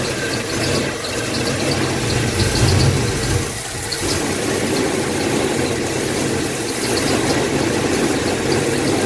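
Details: 1986 Chevy K5 Blazer after a blown head gasket, first start of a new long block with oil primed and timing set: fires and settles into a steady, even idle with no knocks or misses; smooth, healthy fresh engine.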